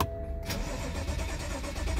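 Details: 2014 BMW 535i (F10) with no-start problem, battery previously dead, diagnosed by scan tool: short starter cranking then low uneven churn that never catches; cranks but won't start, cause not confirmed.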